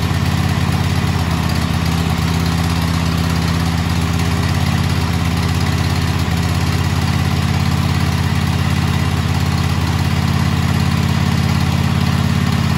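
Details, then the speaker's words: Kohler KT735 24 hp twin-cylinder (7000 series) on a Cub Cadet mower after head gasket replacement: even steady idle with regular thump, no whooshing at shutdown; normal running. "okay so as you heard there was no whooshing sound at the end of that which means that we did fix the blown head gasket"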